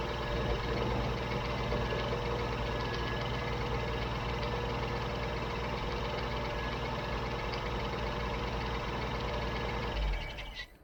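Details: Old Jeep CJ7 idling while running only off a DBPOWER G57 2500A jump starter with the car battery disconnected: a steady, even low rumble with no knocks or misses, holding until shut off. Normal idle.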